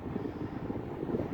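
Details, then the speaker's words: Vintage Hayden SAC HS 16-inch oscillating desk fan running: uneven light rattling over a low hum, with no steady rhythm, from dry, worn motor bearings. "Yeah, I can hear the bearings rattling."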